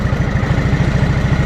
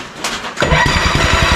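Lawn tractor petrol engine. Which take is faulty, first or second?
second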